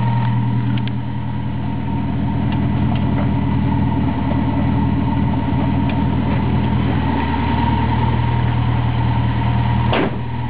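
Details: Toyota 4A-GE smallport with T50 gearbox, right after clutch replacement: idling with a steady low hum, irregular light chatter and a faint ringing tone; owner rules out water pump and alternator bearings, cause unidentified.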